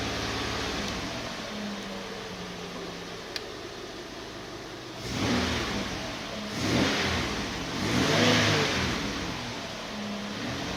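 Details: Chevrolet Uplander at idle: slightly uneven running, then three quick throttle blips; unsteady enough to suggest an engine misfire.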